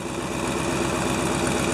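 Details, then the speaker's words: 1997 GMC Suburban at idle, about minus 6 degrees: sharp rhythmic puffing tick keeping pace with the firing beat from an exhaust leak after the catalytic converter; owner considers it minor, not affecting anything, left unrepaired. "but that's after the catalytic converter. Not a huge deal, it doesn't affect anything."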